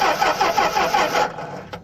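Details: 1964 Plymouth Belvedere slant six with a 3-on-the-tree, stored in a barn for decades: the starter churns evenly for about a second without catching. The fuel pump works and the carburetor bowl is full, but there is no spark.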